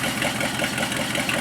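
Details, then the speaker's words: Worn 1976 AMC Jeep Cherokee Chief with AMC 401 V8, muffler refitted, about 20 psi oil pressure: steady, even idle with a fairly bright exhaust note, no knocks or misses and no lifter tick heard. Normal idle. "she runs and she sounds pretty good"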